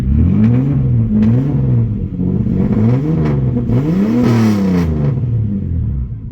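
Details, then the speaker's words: Nissan Maxima after Walbro 255 fuel pump replacement, previously stumbling: engine blipped several times, pitch rises and falls smoothly and settles cleanly; good oil pressure, normal idle and revving. "You might be able to hear it on camera, you might not. Definitely sounds better. Okay, we got good oil pressure."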